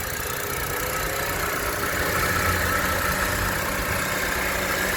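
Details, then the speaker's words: 2018 Honda Civic 1.8 E at idle: faint thin whirr riding above the engine. Seller suspects a slightly noisy belt pulley, probably the tensioner. "เนี่ยมันมีเสียงลูกลอกน่าจะเป็นตัวตั้งสายพานมันมีเสียงนิดนึงนะ"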